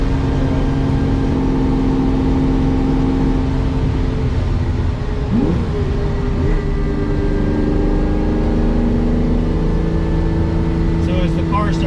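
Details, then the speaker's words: 1969 Ferrari 365GT 2+2 on first drive after purchase, warming up: engine pulls with a faint steady whine climbing in pitch with road speed; likely gear whine, possibly a bearing, not pinned down. "one thing i am noticing is there's a little bit of gear wine or maybe a bearing it might be gear starting to feel a little bit more like gear"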